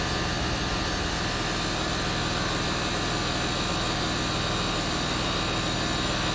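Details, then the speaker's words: Land Rover Discovery 3, newly fitted air suspension compressor, off-road mode, tank now full so rising faster: steady even drone with constant buzz, no knocks; normal compressor running. "there's just going all the way up now it's filled the tank up it's starting to go a bit faster"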